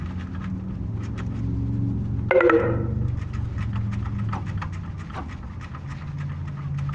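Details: Suspected knocking AC compressor clutch on a Honda Fit at idle: light rhythmic clacking about four times a second over a steady idle hum; cause suspected, not confirmed.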